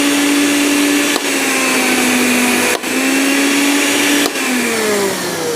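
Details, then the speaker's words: Blender with speed being changed on a 450 W (2 A) household supply: smooth whine dropping and climbing, never cuts out or trips the breaker, normal operation. "Dan ini kondisinya mesin air nyala, setrika nyala, blender nyala."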